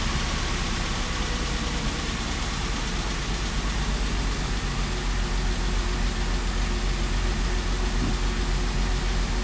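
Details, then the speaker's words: Audi engine first start after two years, reinstalled, 5 quarts oil added after near-zero oil pressure on first start: low uneven rumble with lumpy firing beat; rough running, cause unclear. "Hopefully this time it doesn't make a bunch of crazy noises. Service, no lights. I mean, that doesn't sound that great."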